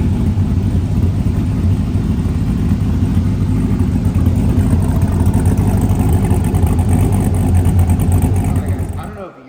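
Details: First start of a new Texas Speed 408 LS V8 swapped into a Snowcat, before the exhaust work and with no transmission yet. It fires right up with great oil pressure and a deep, even rumble through throttle blips, with no knocks or misses: normal idle and revving.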